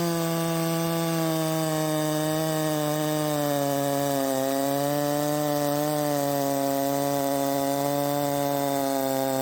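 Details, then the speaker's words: 372XP clone chainsaw on stock ignition timing as a baseline: steady, fairly low drone that sags slightly in the cut instead of screaming, only 10,000 rpm under load; owner plans to advance the timing. "okay so the highest I saw it was 10 000 RPMs in the cut that's pathetic"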